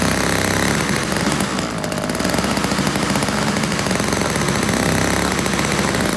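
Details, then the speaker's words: Toro CCR1000 3-horse single-stage two-stroke snow blower, after cleaning a gummed-up carburetor jet and removing string from the paddles: busy even buzz holding steady biting into snow, no stumbling or surging; normal running under load. "had a bunch of string wrapped around it too earlier when I got it, but it throws it much better now."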